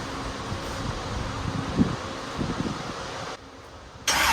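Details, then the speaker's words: Z2H8 Camaro V8 with ported, polished heads, rebuilt after a coolant pressure problem (suspected gasket issue), first fired with fuel, oil and water in and no fuel leaks: starter cranks briefly, then it catches and settles into a steady, even idle; normal. "go ahead and heat the starter see how it sounds make sure it sounds good fuel to it see if it runs"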